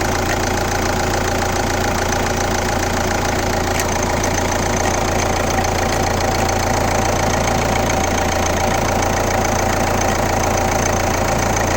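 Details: Kia Ceed 1.6 CRDi (D4FB) diesel, 115 km: steady idle with an odd repeating knock-like clatter about three to four times a second.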